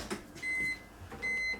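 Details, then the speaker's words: BMW E39/E46 no-crank no-start diagnosis, key at first click with door open: two steady high beeps, the normal key warning chime, showing the key is being read. "that's the beeping i'm talking about if there was no if there was no key or the key is bad you wouldn't hear that beat"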